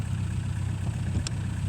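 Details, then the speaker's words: 1936 Rover 12 tourer, about 90 years old, first start in March after three months' winter layup, head cleaned last year, about 7 °C outside: low steady even idle, no misses or knocks, oil pressure 20 rising toward 30 when warm; normal cold idle. "It takes a little while for the oil pressure to come up. We're at 20 at the moment. It'll go up to 30 when it's fully warm."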